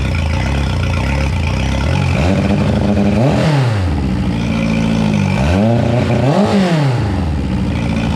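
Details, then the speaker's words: 2011 Yamaha T50 outboard after replacing fuel line, bulb, filter, thermostats, spark plugs and low-pressure fuel pump (previously sputtered and died shifting to reverse): two clean rev-ups falling back to steady idle, no sputtering; sounds a lot better. "sounds a lot better."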